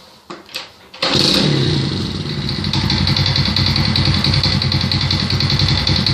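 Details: Alfa 110 moped engine after crankshaft replacement catches after a few cranks, then idles with a hard repeated knocking, roughly three a second; mechanical knock of unclear origin.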